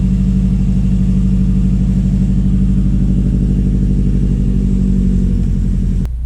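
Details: Subaru WRX STI, first start after winter storage on old fuel: deep, even boxer burble at idle, steady pulses with no knocks, misses or rattles; engine running normally.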